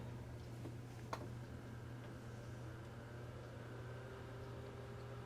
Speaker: not a bad startup sound I've had this probably since like 19989 9 somewhere in there maybe 2000 had it in a long time never had any problems with it though works every time I need to use it